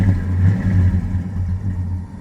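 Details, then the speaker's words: 1963 Ford F100 V8 in neutral, free revving: deep, even rumble swells smoothly with a throttle blip and settles back, with no misses or knocks. A slight whine is attributed to the new alternator. Healthy engine. "wonderful sound out of the exhaust I mean there's just nothing like the sound of a V8"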